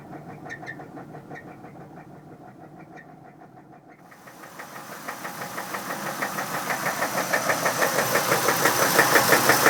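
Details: 1997 Chevrolet Camaro 3800 V6 with a bad motor; sharp regular knock about three times a second that grows louder as revs climb; deep engine knock, cause unknown.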